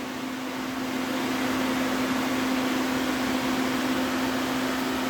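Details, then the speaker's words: DA Integra electric radiator fan on new 30A relay with factory OEM fan switch, engine not running: steady whoosh with constant, unwavering motor hum; strong suction; fan running normally. "and there's the fan doing its job again blowing nice cold air"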